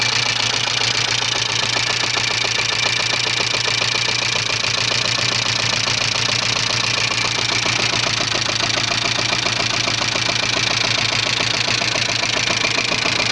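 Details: 1985 Subaru Leone EA82 engine: sharp metallic tapping, roughly two to three per second, over steady idle; owner unsure what is knocking; engine knock.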